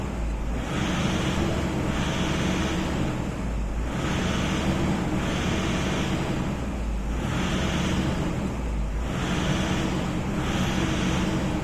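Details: Toyota Innova diesel with occasional sudden stalling, during a fuel system leak test: low drone swells and sags about every two seconds under wind noise; hunting, unstable idle from a fuel system fault.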